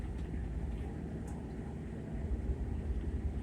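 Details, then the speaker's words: LIRR Main Line electric train in about 3 inches of snow at 20 degrees; a steady low rumble with sharp crackling snaps. Third-rail arcing, the shoe not picking up power cleanly. "hear a lot of arcing going on hear that F's not going to pick it up"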